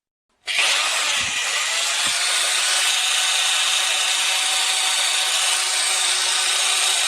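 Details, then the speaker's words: STIHL angle grinder after repair (reassembled gearbox, brushes, bearing work for earlier bearing noise), running with a tile cutting disc: steady high-pitched even whirring hum, no grinding or rattle, operating normally. "máy mài góc đang hoạt động mà không gặp vấn đề gì và chúng ta có thể tiếp tục sửa chữa"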